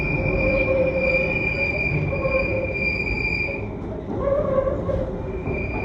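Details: London Underground train heading eastbound towards Cockfosters: loud, steady high-pitched wheel squeal over the rail rumble, fading and returning as the train takes the left and right curves in the tunnel; wheel squeal on curves.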